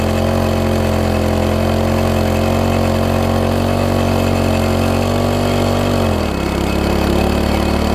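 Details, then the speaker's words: MTD front-tine tiller engine screams at flat high speed for six seconds then drops sharply; throttle seems locked in fast position, spring loosened, binding throttle mechanism found; throttle linkage hooked to the carb wrongly, fixed by reconnecting and adjusting. "really fast right so I almost like it's locked in there I don't think it's supposed to be like that like almost like the throttles walked into the fast position"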